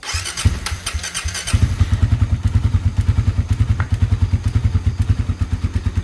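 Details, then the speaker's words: Freshly rebuilt Suzuki Satria FU injection engine, first start after filling oil and radiator coolant: single-cylinder catches into a quick, lumpy idle with slightly rough tapping up top because oil has not yet reached the head. "Nah, jangan sampai lupa di sini kita cek olinya karena ini oli masih belum naik suara mesin jadi masih ada sedikit kasar di bagian atas ya."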